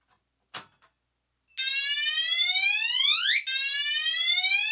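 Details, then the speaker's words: Commander 3 alarm horn on continuous whoop, triggered by pull station during a system test: loud unconventional electronic whoop sweeps rising in pitch about twice a second, repeating cleanly; sounding as it should. "all right so as you can hear not a very conventional tone whatsoever but it is a good one here and I do like it that's part of my favorite things about the commander 3 is that it does have that crazy whoop sound"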